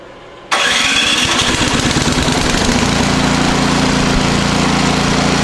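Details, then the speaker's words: Powersmart 24-inch snowblower, warm after two days indoors near a heater, previously surging badly: pulls over, catches on a little choke and settles into a steady even buzz with no hunting; governor holding speed, normal running. "That sounds a whole lot better."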